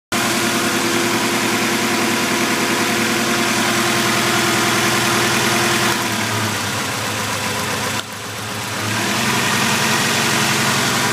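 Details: 2000 Acura Integra idling unevenly with a pulsing beat about three a second and a stumble near the end; misfire, idle only changes when cylinder 1 spark plug wire is pulled, cause unknown.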